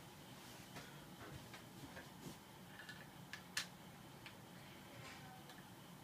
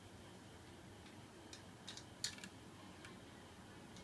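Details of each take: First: Boshijie 16" mini portable ceiling fan, rehung after oiling its noisy bearing: light irregular ticks every second or so over quiet hum, blades likely not tight enough on the hub. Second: Boshijie 16" mini portable ceiling fan after oiling its bearing to cure a high-pitched squeak: soft, steady hiss, no squeak, a few faint light ticks; running normally.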